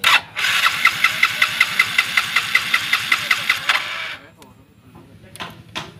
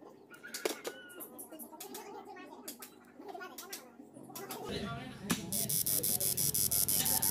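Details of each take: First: Yamaha Mio J fuel-injected scooter whose injector sprays continuously at key-on: steady starter cranking for about three seconds with no firing, then silence; won't start, injector stuck open. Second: Yamaha Mio J fuel injector on a pulse tester: crisp, evenly spaced clicking under a steady hiss as the injector opens and closes cleanly on each pulse, a normal-sounding injector compared with a faulty one that sprays continuously.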